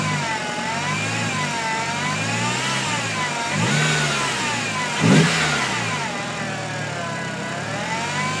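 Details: 1.8T engine bay: clear whine over idle, climbing and falling in pitch with each rev, persisting after power steering fluid was checked and topped up; source unknown.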